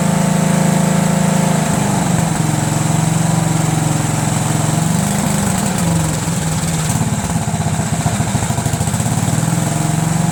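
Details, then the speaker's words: Cub Cadet lawn tractor, Kohler Command single: uneven running with pulses wandering and sagging under load; lean stumble from a worn mechanical fuel pump actuator barely pulsing at full throttle, stalls off choke, carburetor also suspect. "when I was running at full throttle like that right put my finger here and I could barely feel any pulse at all"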